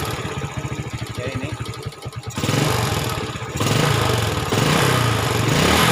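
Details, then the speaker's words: 2010 Yamaha Vega ZR motorcycle: rough, hollow clatter at idle then revving, around the cylinder block and head; exhaust sometimes smokes white. "Masalahnya adalah mesin mengeluarkan suara berisik seperti gemuruh di sekitar blok piston dan kepala silinder."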